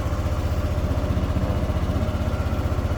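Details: Motorcycle with a morning hard-start problem, after replacing the old battery (which dropped to 9.8V cranking) with a new one that drops only to 11.43V on restart: even, steady low thump about four beats a second, no misses or knocks; normal idle.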